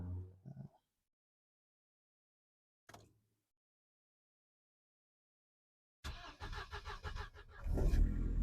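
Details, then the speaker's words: Mercedes 190E 2.3 16v Cosworth cold start; valve clearance was set loose in hopes the valves would seat. After a long silence, a few cranking pulses lead to a firm catch and a rising exhaust note. Cold start sounds healthy. "Sounds pretty good, at least out the back."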